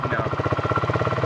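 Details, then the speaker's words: Chinese GY6 49cc four-stroke scooter, stock exhaust with holes drilled in it; fast even putter with a rounded low note, no knocks or misses: normal idle. "definitely open up that exhaust a bit. It's not much louder, yeah. It's a good running little bike, these Chinese bikes."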